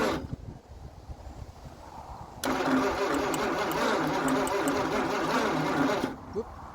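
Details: 1948 Packard Super 8 straight-eight, sitting since the early 1980s: sluggish, uneven starter churning about ninety beats a minute for four seconds with no catch; slow crank, engine won't fire.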